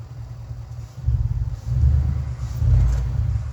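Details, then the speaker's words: 1967 Mercury Park Lane, 410 Ford FE V8, cold start attempt on jumper cables: slow, sluggish starter drone with uneven bursts and no catch; battery deader than thought, timing also needing adjustment. "Battery is deader than I thought."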